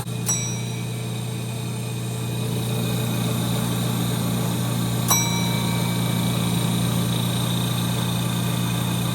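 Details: 1930 Gilbert and Barker model 106 clock-face gas pump, after a WD-40 restoration, switched on and primed: steady, even low motor hum under load with a couple of single bell dings, no knocks or strain; motor running smoothly, normal pump operation.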